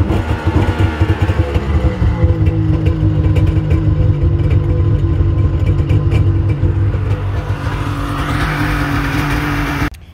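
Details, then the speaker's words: 2000 Yamaha GP1200R Millennium Edition PWC, rebuilt motor, new plugs, flooded with water: engine cranking over with uneven chugging and clatter, never catching, to clear water from the cylinders before cleaning plugs. "hopefully we get all this water out clean the plugs put it in sometimes if there's a little bit in there it'll start up and then it'll push the rust out but keep cranking it"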